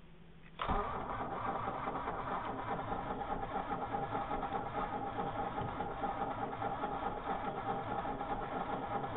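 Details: Opel Monza A 3.0E after sitting two years: starter spins the engine at a steady, even rhythm for nine seconds without catching; cranks but won't start.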